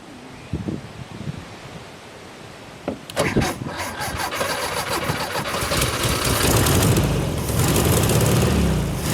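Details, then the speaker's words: 1972 VW Super Beetle first start after wiring repair; slow laboring starter churn at about four turns a second with a few weak pops, cranking without starting. "it doesn't look like we're flowing fuel maybe the gas tank's just dry i don't see anything coming into the fuel filter"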